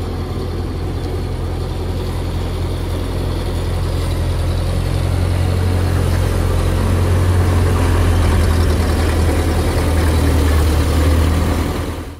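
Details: 1928 Ford Model A four-cylinder, long-sitting car, driving on its own fuel tank after fuel system work, no leaks: steady low thrum, even firing with no misses or knocks as it pulls along; runs smoothly.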